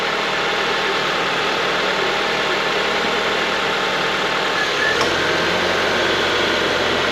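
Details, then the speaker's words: Honda CR-V after A/C condenser replacement, engine running while bleeding cooling system: light click and slight drop in engine note at idle as A/C compressor clutch cuts in cleanly; max A/C, blower speed one, vent probe temperature dropping. "all right compressor kicked on this is ambient temp and this is what's coming from the probe"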